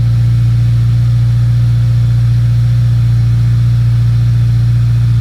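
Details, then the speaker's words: Subaru WRX FA20 after engine rebuild and throttle relearn, cold start at about 50°F: steady, slightly raised idle with even low hum, normal for first 30 seconds before dropping; previously pinned around 2000 rpm. "say this is a pretty normal idle for the first 30 seconds. This is a cold startup, guys."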